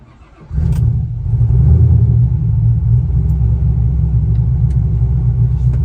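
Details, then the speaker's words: 5th gen car restarted hot after a 20-mile drive, following a new starter and heat blanket to fix its hot hard-start: brief crank, then it catches at once and settles into a steady, even low rumble; starts strong and runs normally. "Starts up strong. I'm pretty sure that's going to take care of the problem."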